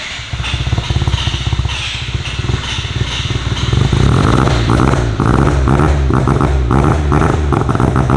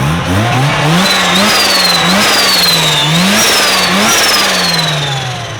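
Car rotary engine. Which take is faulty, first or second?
first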